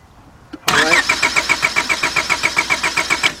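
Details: 2002 Honda Accord 2.3 that lost power while driving, shut down and won't restart: starter cranks with an even quick beat of about four compressions a second but never fires; spark checked, fuel comes out but seems weak, so pressure is to be tested.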